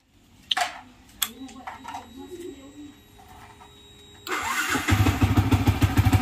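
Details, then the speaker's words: Yamaha FZ after replacing a burnt main coil that caused an engine humming drone: a few light clicks, then engine catches into a steady, even idle; humming gone, normal start. "so betul tak guys bunyi tadi tu dah hilang bunyi berdengung tu dah hilang dah"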